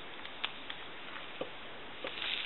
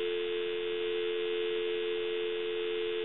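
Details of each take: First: Dropped Takara French-style rotary desk telephone on a line with dial tone removed: faint hiss with irregular pops, crackles and sizzling from the handset, caused by the worn T1 carbon transmitter. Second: Takara French-style rotary desk telephone, dropped, on initial checkout before repair (handset transmitter later found bad): clean, steady dial tone with no crackle or buzz; line quiet, normal dial tone.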